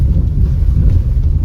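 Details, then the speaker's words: Honda City on a test drive over a potholed rough road near a Honda showroom after sponge and tape soundproofing: only deep road rumble at speed, no clicks or rattles from trim; the earlier rattle is gone. "वहां पे चला के आवाज़ तो मुझे तो नहीं ए रही है अभी फिलहाल तो अभी ये देखो ये जो पैच है ना वो इंपॉर्टेंट है क्योंकि ये रास्ता सबसे घटिया रोड है क्योंकि यहां पे गड्ढे बहुत है"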